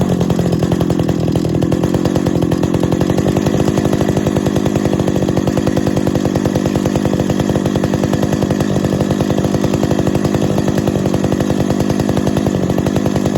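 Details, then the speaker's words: 50-year-old Stihl 031 AV Super chainsaw after full rebuild with new bearings and seals, during first start and carburetor tuning: rapid buzzing two-stroke idle with a thin metallic ting; owner believes it is the baffle rattling inside the muffler. "the muffler you can hear that rattle that tinging sound that's the baffle i believe inside the muffler"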